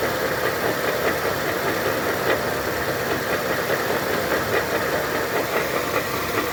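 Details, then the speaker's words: 2011 Honda Civic G8 LXS automatic that won't engage drive or reverse, no scanner faults: harsh, continuous clattering with uneven knocks when put in gear; cause is a broken half shaft (CV axle), not the transmission. "O carro não engata nenhuma marcha, nem drive, nem ré, nada. Ele faz um barulhão, né? Na hora que ele engata a marcha."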